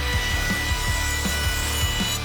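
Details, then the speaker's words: Makita palm router, the comparison against a vibrating 1-star Amazon router: a steady high whine from the bit with an even rasp on each cutting pass and no vibration, wobble or rattle. Smooth router operation. "you just hear the difference it's there's no vibration and all you hear is like that bit that's like just humming really nice"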